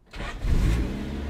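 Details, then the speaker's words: 200k-mile Honda Del Sol after head gasket replacement starts almost instantly and settles into a smooth, even petrol idle, running well. "Raaah elle fait un super bruit ! Elle tourne super bien"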